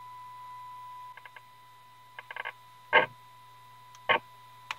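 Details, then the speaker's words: 1932 Tiffany Tone Model 5 tube radio, IF tuned to 465, signal generator in, volume full: thin, faint test tone under handling clicks, barely audible; cold solder joint on a tube socket pin weakens signal, louder once resoldered. "we definitely have a problem either with the tube with the socket pause the video and see if I can tighten up the pins on that socket okay we had a cold solder joint on one of the pins on the bottom of this tube"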